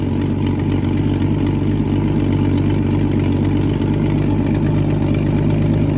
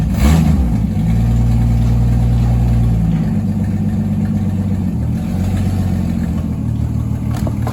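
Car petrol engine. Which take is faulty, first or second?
first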